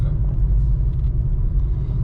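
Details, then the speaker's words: Honda Accord 8 2.4, driving over bumps after replacing the front caliper guide pins with GAZelle pins; steady low road rumble with no knocks or clunks from the front, the former caliper knock is gone. "Ну всё, вот еду, вроде по кочкам проехался стук этот пропал."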